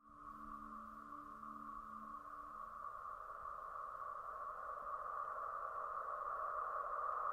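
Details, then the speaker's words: Polestar 2 electric car AVAS pedestrian warning sound, official reference clip of forward and reverse: steady sonar-like hum around 1 kHz slowly swelling, with lower pulsing tones at first; normal sound as designed. "okay so those two sounds you just heard from the pole star website and that is what the posts are is supposed to sound like"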